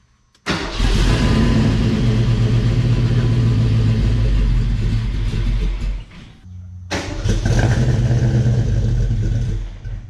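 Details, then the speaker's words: Fox Body Mustang convertible, newly swapped 306 HCI V8, first start with the clutch in: it fires and revs unevenly, stumbles and nearly dies around six seconds, then picks up. Some lifter knock is heard while oil pressure builds; the distributor is being adjusted and fueling is suspected. "engine sounds okay yeah we got some lifter knocked because it's uh you gotta build up its own pressure"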